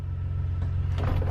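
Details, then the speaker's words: 2002 Chevy S-10 Xtreme running, heard from the cabin after fitting new belt, tensioner with pulley and idler pulley: steady low engine hum, quieter, no more gurgly crusty sound. Normal engine running. "definitely sounds quieter I just hear engine noise in here now not so much a gurgly crusty"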